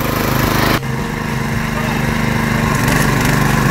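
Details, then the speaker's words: Kalibr MK 7.0 petrol motor-cultivator started with choke on and throttle at max/start: small single-cylinder engine chugs at a steady, even pace under background music; healthy normal running. "Заводим рычаг бензин, держим. Завелся."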